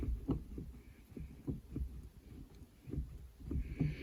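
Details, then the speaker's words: Renault Clio 4 with 5-speed manual gearbox after its dry shift-linkage cables were lubricated: soft dull clunks as the lever moves through the gates, with no squeak or creak; shifts smoothly and quietly. "Все ніяких скріпв репань немає змастили ми троси все добре ніяких звуків м'яко перемикає передачі"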